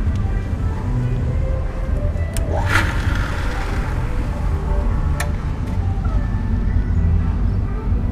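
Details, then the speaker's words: Sanyo PDH 255 JP jet pump after repairing the rapid on-off pressure switch cycling, at original setting: even low motor hum, steady level, no on-off cycling or squeak; smooth continuous run. "tentunya tetap masih Sensitif ya karena teman-teman tadi lihat bahwa airnya sangat penuh tapi tidak akan ngik-ngik seperti tadi"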